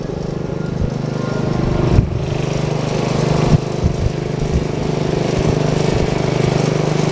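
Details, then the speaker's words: Bush Hog D4-10 Wisconsin single-cylinder engine after repairs with new rings, camshaft, governor gear and springs, in neutral, governor previously never worked and it smoked badly: holds steady, even speed without surging, some handling bumps; governor working properly. "okay so let's crank it up make sure it's in neutral two neutrals [Music] started right up this time no squealing of the bow"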